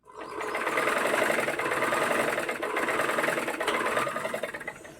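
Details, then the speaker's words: Single-needle sewing machine after loose nuts and bolts were tightened with 10 and 11 spanners and a screwdriver: fast, light, even whirr with soft ticking, the earlier rattling clatter reduced; normal running. "നല്ല കടപട കടപടാ എന്നുള്ള sound ആയിരുന്നില്ലേ ആ sound ഒന്ന് കുറഞ്ഞു കിട്ടിയില്ലേ"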